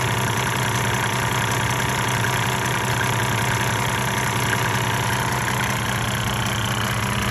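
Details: 1998 Mercedes-Benz E300 OM606 diesel, 185,000 miles, at 9,000 ft altitude, hot idle before the Diesel Purge injector cleaning and smoking. An uneven, lumpy beat of about 158 pulses a minute gives a rough idle. The owner suspects the injectors.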